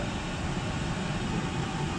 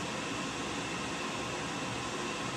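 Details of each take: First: Oil-fired whole-house furnace (275-gallon tank) after primary oil filter change and air readjustment: steady, deep, even roar with no sputter, pulsing or dropout; staying on longer than last time — normal burner operation. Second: Oil-fired whole-house furnace after air setting adjusted to about five and a half: steady fan whoosh, no flame roar, timed out after 90 seconds; not igniting, later traced to sooted burner and dirty cad cell.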